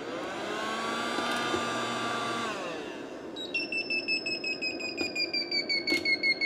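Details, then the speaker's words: Vevor 12V 2500W DC-to-AC inverter deliberately run with too large a load: loud fan roar winds down, then a shrill two-tone beep repeats nearly three times a second; overload fault alarm, hard to clear, seemingly needing power killed. "I think I have to kill power to it to shut it to stop that. So, the fault was a little bit difficult to clear."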